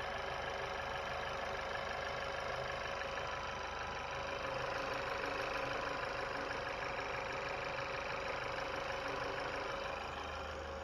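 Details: 2020 Chevy Malibu 1.5 turbo, just restarted after vacuum pump replacement and oil and coolant refill: quiet, steady idle with a soft, even patter, no misses or knocks, no check engine light; normal idle.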